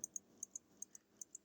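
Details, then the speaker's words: Elgin pocket watch bought on eBay as a non-runner with a broken balance staff, running after a balance from another Elgin watch was fitted as a temporary fix; it keeps time about 2–3 minutes fast. Crisp, light ticks in an uneven tick-tock pairing, about five a second: normal ticking. "and uh yeah started running I mean I couldn't believe it got lucky"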